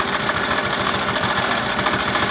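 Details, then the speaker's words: Melco embroidery machine stitching with original hoop arms refitted: quick, even stitching tick with light rattle, no banging or thumping; much quieter than with the new hoop arms. "See how much quieter it is? You can barely hear the machine running."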